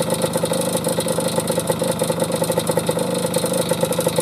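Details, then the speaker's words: 1973 Suzuki TS50 Gaucho two-stroke, virtually original, new piston correctly installed: fast busy idle with a sharp metallic clatter on each firing pulse; owner suspects a bad case of piston slap. "so it is new but i really think it's got a really bad case of piston slap and let me run it for you here"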